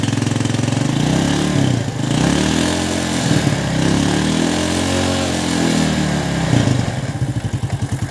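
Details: Yamaha New Jupiter Z engine after repair for a rough, noisy running (worn piston suspected, slack cam chain replaced): it catches and settles into an even, steady idle with no top-end ticking or rattling. Normal idle.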